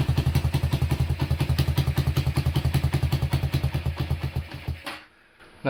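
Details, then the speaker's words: Honda Tiger single-cylinder during restoration: even thumping with a sharp puffing edge from a leaking exhaust joint, as only one exhaust bolt is fitted. The engine itself sounds smooth, with the clutch clunk typical of the model; exhaust leak. "Suaranya cukup halus walaupun terhalang oleh suara knalpot yang bocor ya karena baut kalpotnya cuma satu yang terpasang"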